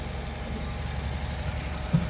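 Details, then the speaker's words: 1961 Chevy Apache stepside truck, engine before LS swap, cold engine: steady even low burble at cold idle, no stumble or knocking; normal cold idle, later buyer said it runs like a sewing machine. "got interrupted by a phone call. You can see it's still cold."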